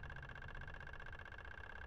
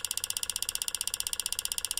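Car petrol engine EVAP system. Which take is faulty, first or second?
second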